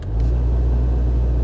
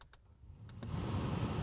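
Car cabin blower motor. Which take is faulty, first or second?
first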